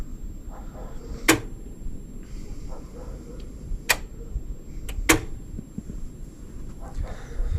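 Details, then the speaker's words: DEYE 10 kW three-phase solar inverter, two years in service and often overloaded: internal grid relay clicks sharply and irregularly over a low hum, repeatedly dropping and reconnecting the grid despite normal voltage and frequency. Cause was a firmware bug, fixed by update. "Виключає, включає, виключає, включає, все. І нічого не можеш подіяти, і нормальна напруга, і нормальна частота. І він це робить."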